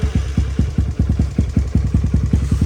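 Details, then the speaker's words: Kawasaki KLX110L with a TB cam after correcting cam position and valve clearance, with no jetting changes: an even, crisp single-cylinder thump at about seven beats per second. The earlier ticking and exhaust lope are gone, a healthy idle. "so much better that is how your one tunnel should run you can even tell with the exhaust like before it sounded neat it had like a little blah blah blah blah blow lope to it but uh yeah she ain't supposed to sound like that but now she sounds so good runs super crisp"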